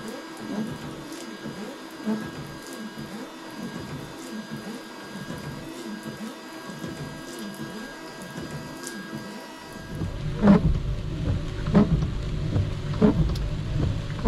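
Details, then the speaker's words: FJ Cruiser's old, worn wiper blades being run before replacement: rhythmic, uneven, juddery scraping swishes with each stroke across the windshield; annoying wiper blade chatter. "Before I'm going to replace them, you can kind of hear the noise that they're making, which is kind of annoying."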